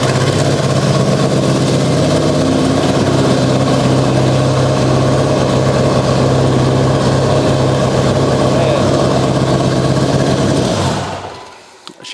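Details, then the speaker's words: Mitsubishi Evo 8 on an untuned base map with no boost controller, wastegate wide open: a loud, lumpy low idle with an uneven thrum about 200 per minute. Running very rich, though no leaks or rattles are noted. "some adjustment it's dead Rich crazy there's no boost controller on it right now so the W just wide open"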